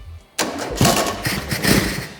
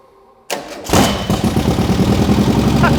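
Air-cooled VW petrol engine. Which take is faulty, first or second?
first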